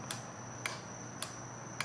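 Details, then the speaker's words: Motorcycle on stands, tank being removed: turning the key gives single sharp relay ticks about every half second but nothing cranks; owner suspects wiring, so relay clicks on key-on with no start. "when i turn the key i do hear the relay over here"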